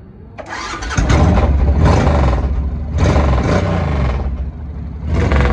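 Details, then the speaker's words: 2005 Suzuki C90 (Boulevard 1500) V-twin after cleaning dirty injectors that caused a dead cylinder: catches and settles into a steady, even idle on both cylinders; exhaust slightly lopsided from a baffle in only one pipe; runs right. "on the uh the exhaust does sound a little lopsided and that's cuz it is um the customer got a baffle in one and not in the other but anyway Run's great now happy customer"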